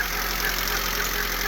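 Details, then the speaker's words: 2000 Honda Civic EX with surging idle: steady raised idle that won't settle; idle air control valve sticking from corrosion, tapping its housing with rod and hammer brings idle down, still hanging slightly. "So, as suspected, when I tapped on that with a hammer and a rod, the idle started to fall. And now it's kind of wearing itself back into a a movable position."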